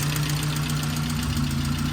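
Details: 1988 Saab 900 Turbo started after sitting a long time, with fluids not yet checked: steady idle with a quick, light ticking from the top end. The owner suspects lifter tick, and an exhaust leak is also noted.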